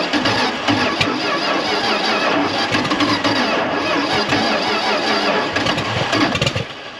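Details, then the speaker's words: 1976 Dodge D600 dump truck, small-block V8 (maybe 318), off the road since 2000, timing confirmed at TDC: catches when choked, then runs ragged and fades as vacuum builds and it sucks too much fuel; flooding carburetor, carb to be pulled. "so it's kind of weird it's like it wants gas and once you choke it out it'll fire up but as soon as it starts pulling vacuum it sucks way too much gas down that carburetor is just not happy"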